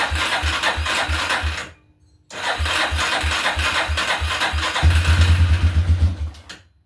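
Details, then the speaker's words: 1987/88 Yamaha Warrior 350 single-cylinder, first start with new fuel line and fresh wet-clutch oil, on choke: cranks, fires and settles into steady thumping idle, no valve tick — healthy normal start and idle. "Fire right up. That sounds really good. Hell yeah. Wow. Sounds really good. No valve tick."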